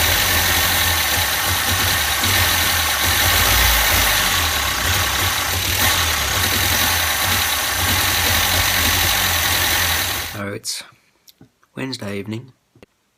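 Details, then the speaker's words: Max the van just after an engine top-end rebuild: uneven lumpy idle about four beats a second, never picks up, then shuts off; owner suspects too little vacuum to open the carburettor's second butterfly, cause unclear. "today we're starting him up and see if he works any idols but he won't accelerate"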